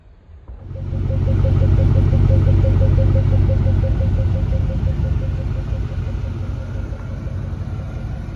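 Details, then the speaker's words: Blue Mustang Mach 1 with 32-valve V8 at idle: fires up then settles into a deep, even burble with steady pulses, no misses or knocks; normal healthy idle. "and now let's go enjoy the blue one for a little while pay attention to this 32 valve bbal idle"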